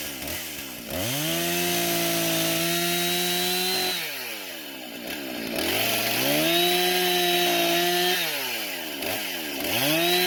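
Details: Husqvarna professional-grade chainsaw after fuel-leak repair and a modified air filter refit: crisp snarl climbing cleanly to full revs and back to idle three times, no bogging or stumble; runs great, no carb adjustment needed.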